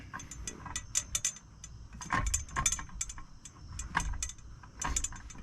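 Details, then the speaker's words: International Prostar with newly installed 42" Peterbilt two-bend straight shifter; irregular light metallic clicks and rattles from loose brass cups moving inside the shift pole; harmless, untaped shifter rattle. "that that noise right there you hear the only thing it is is uh the fit in the cup excuse me the cup is inside the uh pole here they are like brass so they're moving inside and up against the pole that's all that is nothing nothing crazy"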